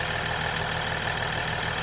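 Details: 2022 Ram EcoDiesel 3.0 diesel with aFe intake, after installing aFe Power Blade Runner charge pipes: even idle clatter with thin steady turbo whistle on top, regular rhythm; turbo heard a bit more, normal diesel idle.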